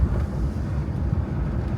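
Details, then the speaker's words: 2007 Hyundai Santa Fe (2nd gen) on a test drive over potholes after fixing a loud rattle and ringing from the front brake pads. Low tyre and road rumble with no metallic ringing from the front brakes; only a slight rattle, possibly from the glovebox. Fixed. "Так їдемо, слухаємо. Жодного дзвону, жодного. Щось зеленчить трошки. Десь там уже в бардачку, може тут десь. Але того дурного дзвону нема."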